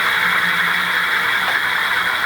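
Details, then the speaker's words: Rad City e-bike with the rear wheel lifted, light throttle given: a smooth, steady high whir from the rear hub motor, no grinding, clicking or rubbing. Normal hub motor running. "Just a little bit to start. Now I don't hear anything."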